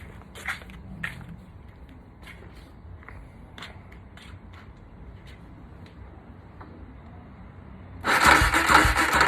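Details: Polaris Predator 500 on battery pack, cut off while riding per seller: after clicks and scrapes, starter churns engine steadily but it never fires; cranks, no start despite confirmed spark.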